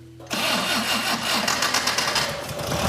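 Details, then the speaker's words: Circa-1965 VW dune buggy, air-cooled 1200 four-cylinder boxer, 40 hp, sitting outside for years: first start on 11.8 V battery after added fuel, catches at once into an even air-cooled chatter with oil pressure and no knocking or misfire; runs perfectly. "have oil pressure yeah tachometer work yeah sounds like aw it sounds like it runs perfectly wow we're done"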